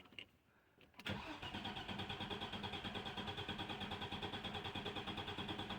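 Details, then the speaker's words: 1996 Audi 80 Coupe 2.6 V6, parked 15 years, fuel pump run off a 12 V pack: starter churns steadily about three beats a second for five seconds, never catches; no fuel found at the front fuel rail. "right I found a problem cracked openly two nuts on the fuel rail at the front and there was no fuel there"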